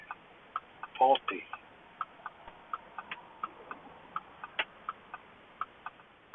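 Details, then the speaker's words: Crisp light ticks about three a second on a quiet background, the keyless-entry electric steering lock (fault Q7-00288) cycling; clicking means it's working. "You can hear it clicking, so it's working."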